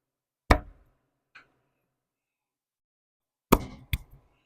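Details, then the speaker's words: 1915 Ford Model T stationary engine cranked slowly by hand: isolated heavy clunks as the crank pin pulls down on the rod cap; connecting rod bearing knock, clearance guessed at 4 to 6 thou. "There it is, clunking clunk. If on the way down I can make the noise because now uh the crank pin is pulling down on the cap, right?"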